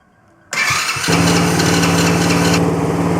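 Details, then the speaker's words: One of three cheap broken quad bikes, after fixing a leaking carburetor, started with key and kill switch: brief crank, catches within half a second, settles into an even steady idle, no misses or knocks; normal start and idle. "we go one foot down she fired up that's a good start now we only have two more to go"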